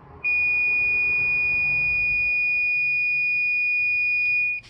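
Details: Camper van 30 amp shore power install: with shore power off, the inverter is switched on, giving one long steady high-pitched beep of about 4.5 seconds in a quiet room. This is the normal inverter power-on signal.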